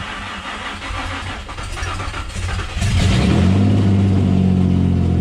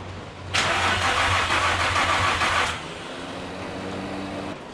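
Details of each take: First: Manual-swapped G35, first start after the BCM and RFID swap. Short crank, clean catch, then a firm steady idle until shut off. Normal start and idle. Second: Manual-swapped Nissan G35 during start attempts after the swap: about two seconds of rapid, even starter cranking, then the engine never fires. Owner suspects a fuel problem, unconfirmed. Crank, no start.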